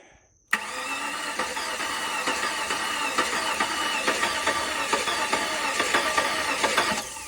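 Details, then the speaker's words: Flood-damaged 2004 Cadillac DTS convertible, first start attempt with an empty fuel rail. The starter cranks at about four beats a second with uneven compression pulses and does not catch. The owner thinks leftover ATF in the cylinders caused the uneven cranking. "You know, now when it cranks, it sounds good. I think the uneven crank initially was because there was still some leftover residual ATF in the cylinders, which actually I saw back here."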